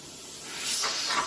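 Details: Presto pressure canner processing raw chicken, at about 800 ft elevation; weighted jiggler being placed on, smooth hiss of steam swells then tapers off, normal venting before pressure builds.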